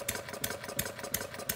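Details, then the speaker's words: Homemade single-cylinder gas engine built from plumbing parts (about 0.875 in bore, 1.5 in stroke, 7 in flywheel, capacitive-discharge ignition), not fully cold, being choked at start. Runs lumpy with uneven sputtering and some smoke. Running rich. "I see we're getting a little smoke out of here so we're gonna turn the choke so that is personally uncovering that hole to choke a little bit more a little bit more a little bit more"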